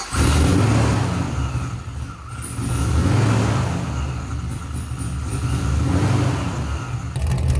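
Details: Supercharged Mazda FD RX-7 on a standalone Fuel Tech FT550 ECU, first run in about 5 years after timing was checked: idle rises and falls in slow waves every couple of seconds, hunting instead of holding steady, a surge still to be tuned out.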